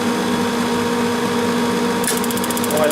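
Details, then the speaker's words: Old heater being tested: steady hum, then a fast, even crackle of sharp ticks, about eleven per second, as the igniter sparks and lights a blue flame; normal igniter sparking. "sparking noise oh yeah the blue flame of death there we go"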